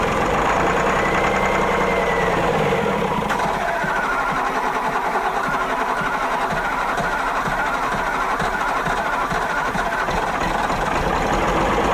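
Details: Autosan H9 bus diesel after a long standstill, started from the rear switch on starting spray via the air filter with the battery charger on: long, uneven churning, catching and faltering at about three pulses a second, before it finally settles; hard start.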